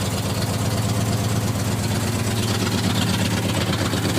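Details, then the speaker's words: Warm 390 V8 truck with mild cam, headers and race wires, C6 automatic: deep steady idle with mild cam lope and even firing, no ticks or knocks; runs well, though worn rings cause blow-by on start and it needs a rebuild. "running pretty good needs a rebuild rings are starting to get worn out in it"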